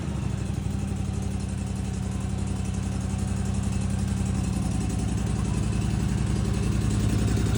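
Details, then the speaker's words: Snapper zero-turn mower after bypass rewiring of faulty safety switches, running without an air filter: steady, even low thumping at constant speed with no misses or knocks. Normal running. "purring like a kitten."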